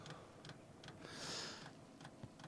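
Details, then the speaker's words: Newly installed diesel heater in a bus, fed from a tapped tank: sharp, quiet, even ticks about two and a half per second with a brief hiss between them as the fuel pump fills the line; normal fuel pump ticking while priming. "Okay, so it's clicking and clacking, going up there, and we are slowly filling this guy."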